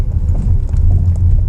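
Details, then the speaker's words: 2015 Dodge Dart four-cylinder, 92,000 miles, camera by the driver's foot while driving over road cracks: dull low thumps through road rumble on each crack; worn front lower control arm bushing. "so when i hit on those crack hole and you can hear pretty clearly let's try this crack right here so every crack hole that make noise"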